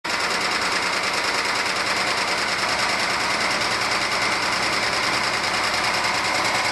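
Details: 1997 Argentine Renault Clio engine, valves already adjusted: fast, even light tapping about three per second over the running engine; one mechanic says piston skirt slap needing an engine rebuild, others blamed clogged oil breather or oil galleries; unconfirmed.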